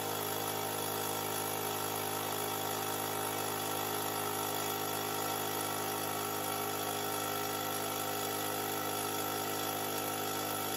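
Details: Fortress 5-gallon air compressor, about a year old: motor and pump drone on at steady even pitch without cutting out at set pressure until the relief valve blows; faulty tank pressure switch, replaced (part 56402).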